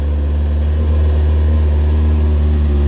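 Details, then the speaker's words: Rebuilt Kawasaki Ninja, started with a little choke and the air box now fitted: smooth, even, quiet low rumble at steady pitch with no misses, knocks, rattles or smoke. Healthy idle. "oh look at that on the bottom lovely that sounds good sounds really good actually"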